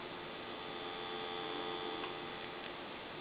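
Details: Dolphin telephone after parts replaced for background hum and very low receive volume: steady, even dial tone with a faint hum underneath, no crackle or dropouts; receive should now be up to par.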